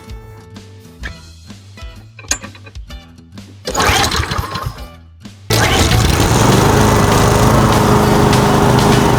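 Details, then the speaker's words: Toro Commercial mower model 22155, Honda GSV190 engine, previously would only start on starting fluid; after air filter service, choke on, it fires on the second pull on existing fuel and settles into a steady even drone; runs well. "Second pull, not bad. But it came to life. She's running, and she's running on home fuel."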